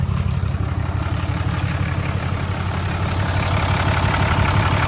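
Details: 2012 Ram 2500 6.7 Cummins diesel after replacing a failed alternator with a 160 amp unit: steady, even clatter at about three beats per second with no misses, and the previous whining noise is gone; healthy idle.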